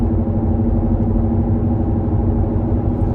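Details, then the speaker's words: 2018 Ford Edge Sport cruising with a constant deep rumbling roar from the rear and no knocks or clicks. Tire rebalancing and new rear pads and rotors didn't help; the dealer confirmed a bad passenger-side rear wheel hub assembly. "so it can only be a wheel hub assembly or an axle or i guess the differential one of those things so i don't know if you can hear this but i guarantee it's louder in this clip than it was the first one"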